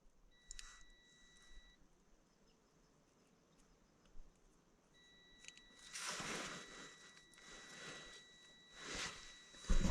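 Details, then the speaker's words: New Holland T8.300 park lock fault, multimeter on a harness connector pin (around pin 18): two high-pitched beeps, one short and one several seconds long, confirming continuity on the wire (0.003 ohms); continuity is also found on another pin, and the coil is identified as the fault. "So it's saying I got continuity there on that wire."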